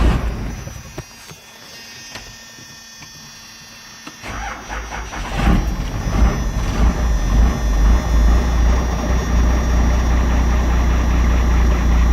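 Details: 12-valve diesel cold start: a few seconds of quiet, then cranks, fires and settles to a steady clatter about two beats per second; healthy cold start.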